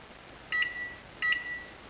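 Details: Repurposed microwave oven timer controller, while running: two short crisp high beeps about 0.7 s apart in a quiet room as buttons add 10-second blocks; normal keypad acknowledgement.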